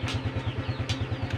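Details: Honda Supra X 125 FI at idle: steady single-cylinder thumping, then a loud sharp metallic clunk when the gear pedal is pressed, occurring intermittently on shifts.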